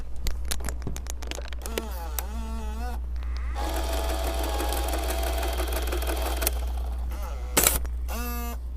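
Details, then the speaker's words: 1980s Sony CCD-V1 Video8 camcorder with the microphone placed near it, ejecting a tape; short motor whirs with chirping gear glides and clicks, then a steady whir over mains hum; the mechanism works normally. "I'm gonna place my microphone near the camera so you can hear the lovely sounds that this thing makes as you put in and take out a tape"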